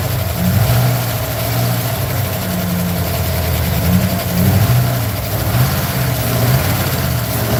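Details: Aged, worn truck engine: loud running with a lumpy, uneven low beat and slight surges instead of a smooth idle, misfire with backfire and hesitation; after cleaning a fouled spark plug it ran about as normal as its condition allows.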